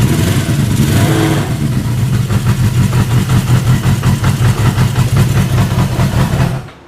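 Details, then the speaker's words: Honda CB550 four-cylinder motorcycle, freshly built, first start on choke without starter fluid: settles into a steady, even idle with small smooth throttle blips, no knocks or misses, then shuts off cleanly; normal idle. "that's pretty awesome that uh that fired up pretty darn easily I'm actually really surprised that it even fired up that nice"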